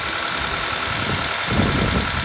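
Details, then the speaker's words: Honda Accord revived after long storage, accessory belt removed: steady even idle under hiss, no knocks or squeals; smooth normal idle, belt tensioner bearing and water pump suspected noisy. "mas o motorzinho sereninho cara que delícia"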